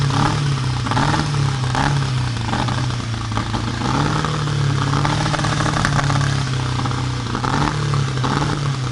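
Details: Volvo Penta AQ145 boat engine: low drone with lumpy beat, note dipping and stumbling every second or so; misfiring on a cylinder.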